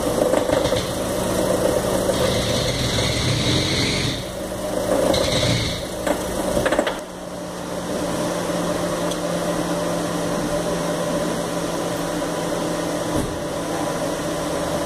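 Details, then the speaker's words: 2013 Fiat Palio Celebration, Fire Economy engine, parked with the handbrake on under load: sharp metallic pinging in bursts that then fades. The noise is detonation, which the mechanic blames on bad gasoline; fix is a decarbonizer added to a full tank. "faz um barulho de Ferro batendo com ferro e eu vou tentar fazer esse barulho com o carro parado com freio de mão puxado"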